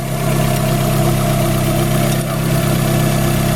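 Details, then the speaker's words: Car #92 at warm idle while the distributor is rotated to advance ignition timing: smooth idle firming slightly in pitch as engine speed picks up a little with the advance. "and rotating you and further advance this again here the engine up speed picked up a little bit"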